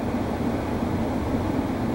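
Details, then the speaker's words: Hybrid propane furnace/heat pump back in stage one heat: once supply air cools to 90°F, heat pump restarts and fan ramps up as Y energizes; steady even low hum of fan and compressor, no knocks, rattles or squeals; normal. "there's the heat pump and now you can hear the fan ramping up because the Y energized to the heat pump and to the furnace control board"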